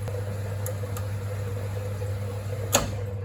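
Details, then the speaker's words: Winterhalter GS502 dishwasher at the end of filling: water stops as the level switch opens, the contactor clicks in, then a steady hum as the heating element warms water from 33° toward about 80°; normal switch to heating. "Okay. And you heard water stopped and this click it was contacttor. Okay. And contactctor contact element. And now you can hear the sounds water is heating up."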